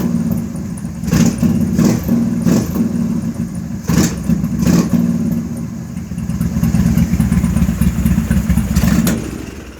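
Uneven, lumpy idle broken by sharp irregular pops every second or so from the intake side, a rough-running carbureted bike.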